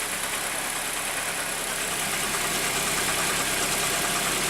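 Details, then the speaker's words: Idling petrol engine with a steady, fast light knock, about three a second; cause found to be a torn accessory belt slapping. "при работающем двигателе мы слышим посторонний стук и сейчас мы с вами будем разбираться откуда идет этот стук"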